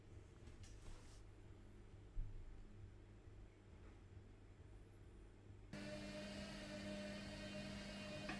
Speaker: as you can see it sounds correctly we're now going to connect the buzzer so that it buzzes when the button is pressed